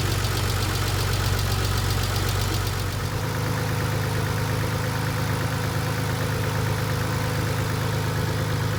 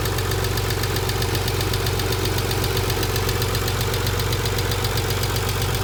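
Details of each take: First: 1990 Nissan 300ZX twin turbo with used JDM engine, after fixing lifter ticking traced to a dented oil pan: steady, even idle with smooth low hum and no ticking; normal idle after repair. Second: 1990 Nissan 300ZX twin turbo with used JDM replacement engine at idle: fast steady ticking about four per second; hydraulic lifters starved of oil from low oil pressure, one lifter broken.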